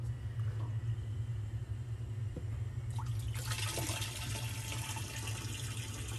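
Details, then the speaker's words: Maytag/Whirlpool top-load washer: drive shaft rotates and moves water unloaded, low steady motor hum with sloshing, but stalls when agitator is gripped by hand to simulate clothes load; worn transmission, agitator slips under load. "as you can see the shaft is rotating so it has some power but as soon as you get some pressure on it it does nothing"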